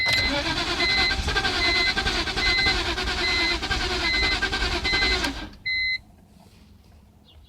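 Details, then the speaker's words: Engine cranks but won't start after wet spark plugs were cleaned and dried; fuel pump primes and rail pressure sprays well. About five seconds of steady cranking with a chime pulsing each second, occasional stutter, never catches. Owner suspects crankshaft position sensor. "I don't know now it I mean and it still sounds like it wants to crank every now and then"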